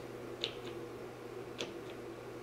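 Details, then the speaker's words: Water-damaged LinnDrum drum machine: tom and conga voices, which share a signal path, give only faint intermittent ticks over a low hum instead of full hits, caused by a failing multiplexer chip. "the toms and the conga don't seem to totally be dead uh intermittently they make some noise"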